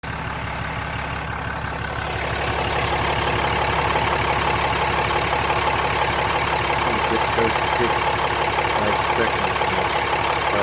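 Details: 2017 Ram 3500 diesel idling with steady rapid clattering pulse about three beats a second over low rumble, during injector kill test with scan tool (5-second kills at 12-17 s and 28-33 s); rattle diagnosis.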